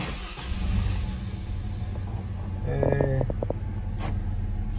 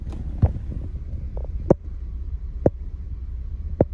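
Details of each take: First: 2003 Chevrolet Trailblazer at cold idle after replacing the failed engine coolant temperature (ECT) sensor, which had caused cold misfires and faulty oxygen sensor readings: a steady, smooth low idle with a brief chime, no stumble or misfire, running cleanly. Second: 2003 Chevy Trailblazer at cold idle: hum broken by a hard thump about once a second, a cylinder 3 misfire worse when cold, caused by a faulty coolant temperature sensor that also upsets the oxygen sensor readings; catalytic converters replaced two weeks earlier.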